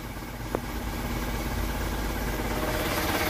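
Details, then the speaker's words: Isuzu Elf truck diesel engine after tuning adjustment, idling around 500 rpm, or possibly 1000 by the owner's own uncertain reading: low, steady, even clatter with no misses; a healthy idle. "ada di 500 ya Satukan 1000 kalau salah ya Monggo dikoreksi seperti ini untuk suaranya"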